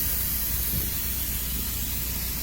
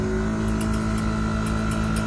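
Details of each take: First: Mini truck air ride dumping the rear bags, steady even rush of escaping air over a low rumble; the suspension releases normally. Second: Air-ride compressor on a mini truck, steady hum with a faint irregular ticking from the inline check valve tapping; it will eventually wear out but is all right for now, and the system is much quieter than before.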